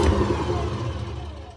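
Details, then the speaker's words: Hotpoint WMA50 washing machine, drum spun by hand: a deep, gritty rumble fades as it coasts down. Drum bearings are rusty and crunchy, so bad they temporarily seized. Worn drum bearing rumble. "this is a hotpoint wma50 washing machine it's all right but it's got really bad bearings well so bad they're actually seized temporarily"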